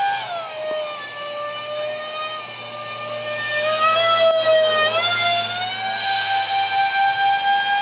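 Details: Su-35 RC jet with high-rpm EDFs, 5-blade rotors and 2600kv motors on 6S, vibrating from cheap shaft adapters and mounting pads detached by vibration. Shrill screeching fan tone wavers and pulses with throttle, rough and unsteady; rotors to be changed.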